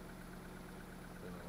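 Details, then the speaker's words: Mitsubishi 2.0 GDI 4G94 after clearing P220 and P1225 throttle codes (suspected throttle body position sensor) and restart: quiet, steady low hum with even beat, no misses or knocks; idling smoothly, no faults returned. "Yeah, so the faults are cleared. Responding to the throttle. We have no faults, so let's see what we have"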